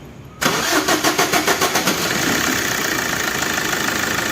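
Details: Suzuki Dzire DDiS diesel, about 21,000 km, after timing chain noise repair: quick cranking pulses, then it catches cleanly and settles into a steady, even idle with no rattle; normal start and idle.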